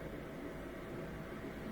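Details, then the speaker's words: Miele Incognito dishwasher circulation motor that previously ran about 10 seconds then paused 10 seconds: quiet, even pump hum with water swishing that continues without cutting out; normal circulation after the fix. "so before it would circulate for about 10 seconds and then cut out rest 10 more seconds cut out rest I think it's continually circulating now"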